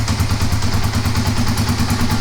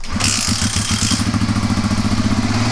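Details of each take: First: Kawasaki KLR250 with 4,500 original miles, normally very hard to start, now cold on choke with no throttle: single-cylinder thumping at a quick, even beat, steady, no misses; normal cold idle on choke. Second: Kawasaki KLR250 dual sport that rarely starts: runs with an uneven, lumpy beat of about two or three pops per second after a few sprays of fuel into the carburetor, alive only on extra fuel; lean no-start, vacuum leak or dirt in the carburetor suspected.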